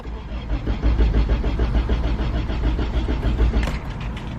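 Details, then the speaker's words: Sedan that died while driving through a parking lot after a coilover install: quick steady cranking pulses, then it catches and settles into a low rumble; restarts fine, engine stall cause unknown. "Oh what the hell my car died lovely"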